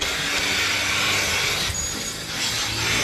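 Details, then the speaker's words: Dairy farm milking unit attached to a cow, vacuum switched on at the unit's bottom button: steady airy hiss with faint pulsing underneath, vacuum pulling milk up the hose to the milk house and holding the unit on the cow; normal milking vacuum. "one thing the vacuum also does do is because there is some vacuum at the Cow so it will it will hold the mil or up to the cow also so it doesn't fall off"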